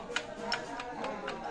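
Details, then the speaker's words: Isuzu Panther 2.3 diesel at idle, rough noise: sharp, evenly spaced tick about four per second that sounds like valves but is the timing gears; worn idler gear rattle, fixed by replacing the idler and crankshaft gears. "Jadi, jika kita perhatikan lebih teliti, bunyinya seperti suara katup. Meskipun sebenarnya bukan, ini adalah suara roda gigi."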